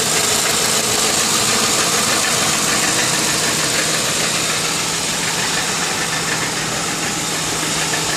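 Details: 2002 Lincoln Town Car at idle with fast, even tapping about three per second that goes away when driving, no performance loss; caused by failing driver's side catalytic converter, replacement stopped the knocking.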